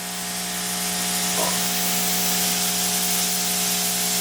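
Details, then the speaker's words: Ya Xun 902+ rework station hot-air gun with the thin nozzle fitted and temperature lowered: steady loud rushing hiss of air with a faint fan hum underneath, which is normal. "e eu vou colocar o bico mais fina pra você ver como fica o barulho dela"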